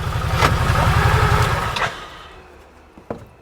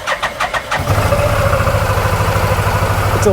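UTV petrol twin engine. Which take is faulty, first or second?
second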